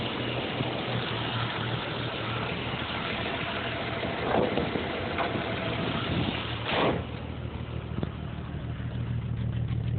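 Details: 1987 Jeep Cherokee/Wagoneer Limited at idle: low idle with an uneven, lumpy beat and occasional stumbles instead of a smooth hum; rough idle, cause not pinned down.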